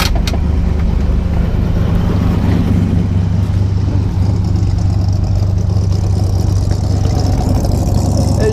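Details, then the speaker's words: 1970 Buick GS V8 after intake change, new cam and new alternator, idling in neutral; deep steady even beat with no misfire or ticking, runs smoother with more power. Normal idle. "you can hear she sounds a whole lot healthier yeah for some of that 70s muscle sound going to her now runs a lot smoother"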